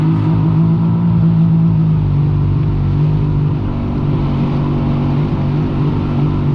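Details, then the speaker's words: Freshly rebuilt Yamaha XLT1200 jet ski engine being run in on the water at about 5,000 RPM under load; strong, steady low drone, smooth with no knocks or misses over water splash; the engine runs healthy. "But hopefully you can see on the tack and the speedo about 5,000 RPM, so I'm happy with that as a running RPM."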